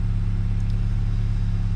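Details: VW Golf R first start after no-start with battery-low and other warning lights: steady even low idle with smooth regular pulse, no misses, ticks or knocks; engine idling healthily.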